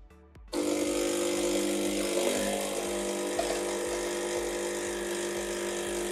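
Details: Saeco Incanto HD8911/09 espresso machine after burnt control board replaced and reassembly from owner's disassembly, first coffee: steady pump hum with an even, fast buzzing pulse as coffee is drawn; brews smoothly with no odd noises.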